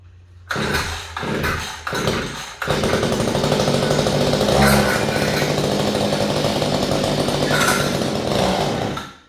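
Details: Small two-stroke engine on a no-start repair, running with cleaned spark plug and air filter off: a few pull attempts, then it catches and holds a steady buzzing run for several seconds; fixed, running fine.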